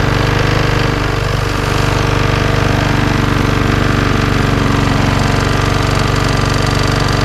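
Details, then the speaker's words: Job-lot lawnmower after a service that did not help: loud, rough engine with a hard fast internal knock about four per second, revs rising and falling, smoke from the air filter back and exhaust; mechanic thinks the engine is terminal. "I'm getting a knocking noise coming from within inside. I can hear it knocking."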